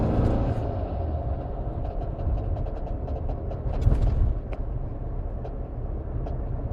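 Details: 2165cc Type 1 VW engine, dual Dellorto DRLA 40s, DTA Fast S40 ECU, CSP Super Comp, recently started busy rapid ticking and rattling over a lumpy beat; valves checked fine, blocked #3 idle jet cleared, noise persists, unidentified.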